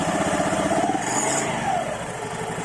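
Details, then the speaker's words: Honda Vario 110 LED eSP after fitting an aftermarket double clutch bell (Kartel), light throttle: soft hiss on initial pull-away over a steady engine note; possibly characteristic of the part, fades once moving. "Nah untuk tarikan awalnya nih ada suara berdesisnya gitu ya. Ini mungkin memang ciri khasnya kartelan seperti itu, saya tahu saya guys ya."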